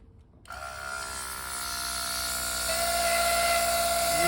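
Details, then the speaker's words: Used fuel injectors from a donor Mercedes W123, blown through with compressed air: an air hiss with a steady whistle whose pitch shifts and rises as the blockage breaks through. "hear that changeing noise yeah that was it then breaking through like a snake snake charm whistle"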